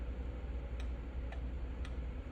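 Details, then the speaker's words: Automotive 5-pin relay bench-tested by energizing pins 85 and 86 from the battery through fused jumper wires. Sharp, crisp clicks about every half second as the relay pulls in and drops out cleanly; the relay switches properly. "you can hear the relay clicking on and off"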